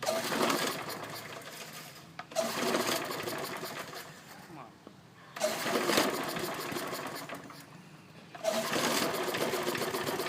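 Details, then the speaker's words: Briggs & Stratton engine moved from an old deck onto another mower deck, possibly mounted crooked or missing a screw: dry clattering rattle swelling about every three seconds; owner suspects loose blade or part; rattling while running. "see that's what I mean by it rattling huh weird I don't know it might be on there loose or something"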